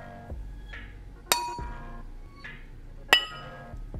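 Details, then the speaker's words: Ring test on a new grinding wheel before mounting, tapped gently with a sturdy tool in a quiet room: two taps each give a clear, lasting metallic ring, so the wheel is intact (a dull, muffled ring would mean a crack). "once you hear that clear metallic ring that means the grinding wheel has passed the test and you're free to mount it"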